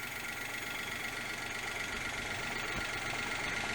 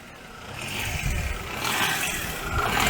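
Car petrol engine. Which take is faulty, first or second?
second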